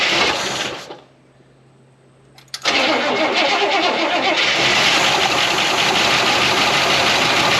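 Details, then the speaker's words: 1969 Buick Wildcat, parked in a barn lean-to since 1998 (26 years), first cold start after fuel was pumped to the carburetor: cranks, catches, and settles into a steady idle with a light, quick lifter tick; engine knock-free, lifters noisy from sitting. "but that's the sweet smell of success on one of these old cars the engine sounds good knock free lifters are a good bit noisy"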